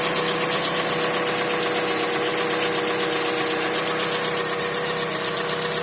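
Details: CX-5 engine idling with a light, regular knock of about four beats a second over a steady hum.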